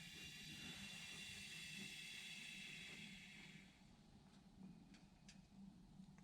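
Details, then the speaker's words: 2001 Yamaha V-Star 1100 during a starter sprag replacement, engine turned slowly by hand: a soft, airy hiss swells and fades as the cylinder squeezes, which is normal compression. "Round and around she goes. Can hear her squeezing."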